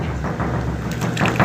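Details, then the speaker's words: Brastemp BWG 11 kg washing machine during spin: heavy irregular thumps over low drone, severe shaking; hose knocking on cabinet was padded but noise remained, drum basket unbalanced and needs repair. "Mas mesmo assim não solucionou o problema não. E pelo que eu estou vendo aqui, o cesto dela que está desbalanceado aqui."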